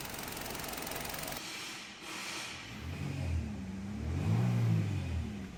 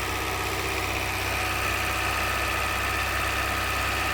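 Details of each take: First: 2023 Hyundai Verna petrol BS6 automatic, with radiator refitted and engine running about two hours: a hiss at first, then a low engine hum that rises and falls slightly and stays even with no knocks. Normal idle. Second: 2023 Hyundai Verna petrol BS6 automatic, overheating and losing coolant, at idle: uneven tak-tak knock about four times a second over a steady hum, pointing to knocking pistons; mechanic says it worsens with AC compressor load and is not causing the overheating.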